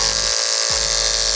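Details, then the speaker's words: Clipper with a blade hand-sharpened perfectly flat on a block and oiled with clipper blade oil, cutting a chunk of wig hair: a high buzz that audibly slows and bogs under cutting load, then recovers. The blade still cuts, with slight hesitation. "So you can hear it's chunky. It does work. So it does work, okay? So you can hear it. Hear it slow down."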